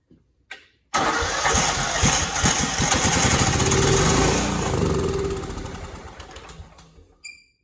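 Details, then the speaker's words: Cub Cadet 2166 mower, 16hp Kohler Command single-cylinder engine, choke on: steady cranking about six seconds without catching, then winds down; no fuel reaching it, owner suspects it needs priming. Crank, no start, fuel starvation. "Might need to prime this pump a little bit. Not sure. Got a little bit of starting fluid left."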